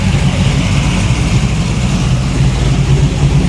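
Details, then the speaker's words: 500 hp 1987 Chevy Monte Carlo SS V8 at a fully warmed-up idle, reading 30 psi; deep, throaty idle with a steady rhythmic chop, no ticks or knocks, healthy. "So sitting at an idle, right at 30 PSI, now she's good and warmed up."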